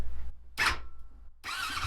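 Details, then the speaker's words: YFZ450/WR hybrid quad during custom wiring harness build, starter cranking via key and button, starting fluid sprayed in; silence then one sharp burst of firing that dies quickly; brief firing confirms spark. "that's what i wanted so that happens fires up now we can finish on work finish working on this wiring harness"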